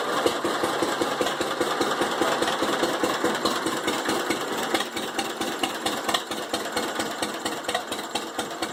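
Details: 1945 John Deere H two-cylinder tractor with a bad starter idles with a slow, crisp, loose but steady putt-putt of two to three pops a second. It had sat 20-plus years and was fired up after cleaning the carb and mag; normal idle.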